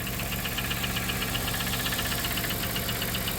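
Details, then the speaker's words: 1997 Dodge Caravan LE, about 244,849 miles, possibly reman engine, a quart low with sparkly metal in oil, just started; steady light tapping about four per second at idle; owner suspects spun rod bearing. "I think she's done I'm going to try put a quart of oil in it but that ain't the problem uh it looks like there's metal in the oil like a spun a bearing"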